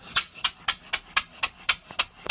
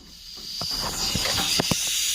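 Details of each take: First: 3-inch Fowler traction engine running on air at about 40 after fixing cylinder leaks: crisp, even exhaust beats at about four per second with quiet gaps and no leak hiss; a much cleaner beat. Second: 3-inch Fowler traction engine cylinder, air line pressurising one side of the piston: steady, loud hiss of air with light clicks, air leaking past the piston into the exhaust, bubbles and oil moving; bad leak.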